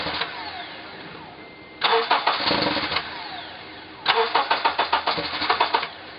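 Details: 2003 Honda Element EX AWD, crank no start with spark in all 4 cylinders: two bursts of fast, uneven starter cranking with no firing even after starter fluid sprayed into the intake manifold.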